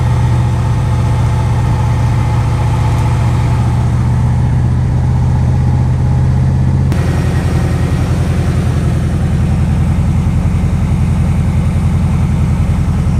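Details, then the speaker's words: Chevy K1500 V8 truck running warm, showing about 45 psi oil pressure. A deep, even V8 burble at steady idle with no misses, knocks or ticks; it sounds perfectly healthy. "we know what it sounds like when it starts to get sounded perfectly healthy the truck is running really good"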